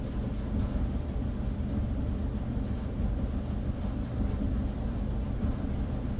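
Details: Whirlpool dryer after replacing a bent blower wheel that had been rubbing, test run of about two minutes: steady low rumble from the turning drum, even and unbroken with no rubbing or scraping; running normally.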